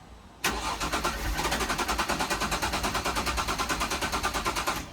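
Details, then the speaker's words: Jaguar S-Type left in an open carport for six years, quarter tank of fuel, immobiliser disarmed: steady starter cranking about three compression beats a second, never firing; no fuel pump sound heard, owner suspects the pump under the rear seat. "I think there's a fuel pump beneath the back seat on these and I can't hear it running."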